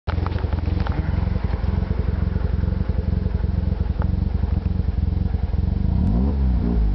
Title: rx7 rough idle